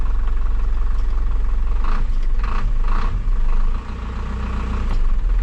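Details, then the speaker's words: 2000 Isuzu NPR turbo diesel, first start after sitting abandoned a year; fires quickly and settles into a steady, even low diesel rumble with no misses or knocking, power steering fluid low with an earlier whine; normal idle. "crazy how quick that fired up"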